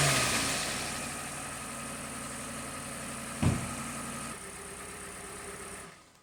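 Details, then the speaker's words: 2018 Kia Forte 2.0L four-cylinder, running rough with rattle and timing-related codes; engine revved and held, sounding uneven and strained, then dropping; exhaust cam found way over-advanced, rough running from over-advanced exhaust cam. "okay so after some digging on service info the exhaust starts off fully uh Advanced and so when it's activated it'll move to the uh position"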